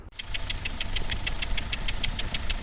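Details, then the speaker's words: 2016 Hyundai Starex H1 2.5 CRDi D4CB 16-valve diesel at idle: sharp, ringing metallic ticks about six or seven a second; suspected hydraulic lifters or timing chain/tensioner, leading to chain and lifter replacement. "Ну звук такой звонкий медлен конт что-то от либо гидрокомпенсаторов или от цепей"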